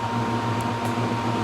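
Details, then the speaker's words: 400 CFM sound-enclosure exhaust fan on an E4X control panel with Pico thermostat, run in hand/manual mode: smooth, constant whoosh with a steady low hum and no rattle or rubbing; fan running normally. "This is manual control. Fans on."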